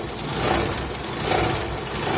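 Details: Old car idling after driving on a dirt road: steady buzzy metallic rattle and vibration from underneath, caused by a dented engine skid plate touching the oil pan; fixed by bending it away with a lug wrench.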